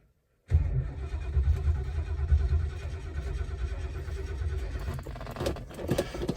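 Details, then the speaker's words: 1972 Lincoln Continental Mark IV, 460 V8, sat a long time: steady starter cranking a bit over one beat a second with low drone, no firing; cranks but won't start, owner suspects weak battery or bad connection. "c] happens didn't sound too good it's turning over but it's uh turn that radio off I need that on doesn't have enough power or is bad connection"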